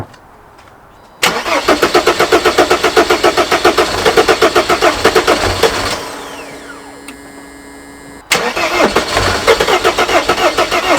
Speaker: Not good. Not good.